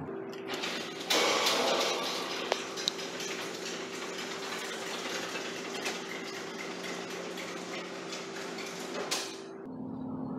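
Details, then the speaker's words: Garage door opener running the door after both extension springs and the safety and pulley cables were replaced; rattly squeaks and clatter come from the dry rollers, to be lubricated with WD-40 on all the wheels: noisy garage door rollers. "So the last thing to do is to put WD-40, because you can hear the noise. We're going to put WD-40 in all the wheels, and then we turn, open and close it again."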